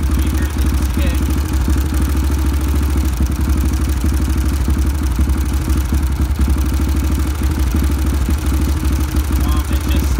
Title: Ticking noise